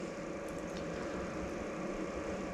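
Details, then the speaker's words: Diesel heater startup, set to 20: display comes on, fan spins up, then glow plug turns on; steady even fan hum and smooth low drone, fuel pump not yet ticking during the startup sequence; normal heater fan startup. "I see it starts the Shia fan turning and then the little la glow plug turns on pump it hasn't started clicking yet because it goes through a kind of a startup"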